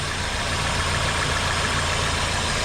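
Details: Toyota Corolla petrol engine idling steadily in drive with AC on for extra load, no rattle or ticking from the belt area after replacing the worn serpentine belt tensioner that caused the rattle; normal idle.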